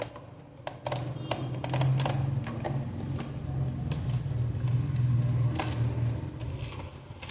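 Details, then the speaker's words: Toy military truck pulled along after disassembly, wheel repair and reassembly with small screws glued: irregular clicks and scrapes about four a second over a low rolling rumble, one wheel not turning and dragging. "உங்களுக்கு சில வியர்டான sounds கேட்டுச்சுல friends. ஏன்னா இந்த wheel வந்து சுத்தமாக ஒர்க்கே ஆகலை."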